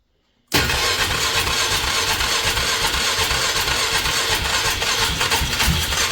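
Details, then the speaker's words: 2003 Polaris Magnum 330 4x4 with hard-start history, gas squirted into the intake: churns over steadily for several seconds with uneven chuffing but never runs; has spark and compression, crank no-start with a fuel issue suspected. "Wow. Okay, so we might have a fuel issue. So, we're obviously getting spark."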